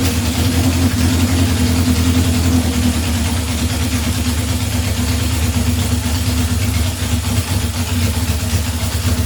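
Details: 1978 Honda CB750 K8 first run during a rebuild, with booster on the battery and temporary fuel supply: steady, even four-cylinder burble and low drone with no misses or knocks. It idles cleanly on all cylinders.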